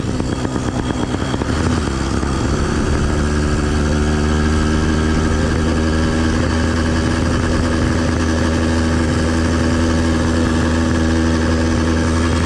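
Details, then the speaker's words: Phantom 85 two-stroke motorized bicycle engine during break-in (~100 miles), 32:1 premix, 87 octane, riding: steady buzzing drone with coarse rattly edge, heavy vibration; rider suspects bad front motor mount, not yet fixed. "yeah this vibration has got to be from that motor it just doesn't sound like a motor it sounds like a bad mounting issue"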